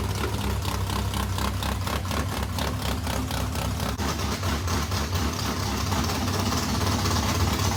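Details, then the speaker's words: Modified race car V8, first fire-up after months of work following fuel pump issues: loud choppy idle with steady pulse about two per second; engine runs normally, passenger-side water pump gasket leaking. "well how about that it runs"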